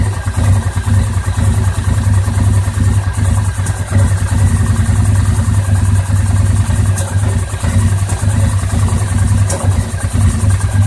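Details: 2009 850 XP at idle, still rough after throttle cable adjustment and repair of mouse-chewed exposed wiring, cause unknown: uneven, loping idle with irregular stumble and occasional exhaust pops; rough idle with misfire.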